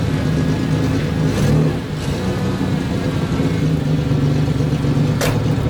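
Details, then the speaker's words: 1992 Ford Explorer, 4.0-liter, 5-speed junkyard truck, held under load to check for a miss: an even, unbroken rumble with no stumble. Normal running under load. "So basically, he puts it under a load to see if the engine's missing. So sometimes they'll idle up and rev when there's no load, like when you aren't driving, and the engine isn't having to work."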